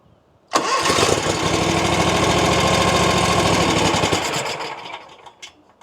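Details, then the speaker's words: RedMax zero-turn mower with a Kawasaki engine, just after fitting thicker intake gaskets. It catches quickly, runs raggedly for a few seconds, then dies. It is running rough after start, and the owner suspects the fuel was disconnected; this is unconfirmed. "Is it running worse? Oh, I had to take the fuel off, so it's probably the gas."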